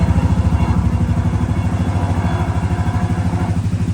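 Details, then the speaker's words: Suzuki LT-Z 250 ATV at steady idle: quick, even, low putter, with a light rattle from the lift it sits on rather than the engine; it starts right up and runs perfectly. "And I mean, the thing runs perfect. It fires right up. Runs fine."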